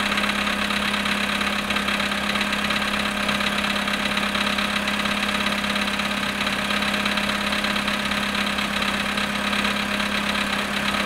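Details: VW Polo sedan at −7.5 °C cold start after sitting 14 hours: light, regular tapping knock about twice a second over the cold idle; source of the knock unknown.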